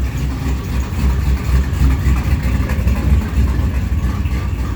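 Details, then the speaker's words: 441 engine on MS3 Pro ECU that breaks up once warm and won't exceed 2,700 RPM despite new plugs, plug wires and coil packs: deep, even cold idle pulsing with no coughs or misses; normal idle. "So anyhow, she sounds good though. I mean, at idle until she starts spitting and coughing and farting."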